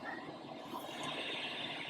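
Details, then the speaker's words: Used MOTU FireWire audio interface, after toggling the voltage selector back to 115 volts: a steady, even hiss across the range with no rhythm or level change; gain control has no effect, outputs noisy, cause unknown, unit judged broken. "And unfortunately, as you can hear, still got that white noise here."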